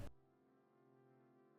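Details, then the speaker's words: Apple PowerBook G4 Titanium 15-inch DVI, 800 MHz (2002), booting from an external FireWire 400 hard drive: a single soft, low bong with a clean steady tone fading slowly, the normal startup chime of a healthy boot. "maintenant je vais allumer le PowerBook G4 et il va démarrer sans problème, vous allez voir. On y va. Le petit bong,"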